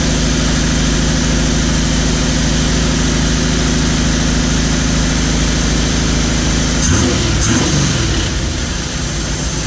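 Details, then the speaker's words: Weber carburetor first start after replacing top-plate gaskets and O-rings (fuel was leaking) and resetting the float level to factory spec, air filter off: the engine starts right up and settles into a steady, even idle with no misses or knocks. "and then trying to start it up see if it needs any adjustments start right up"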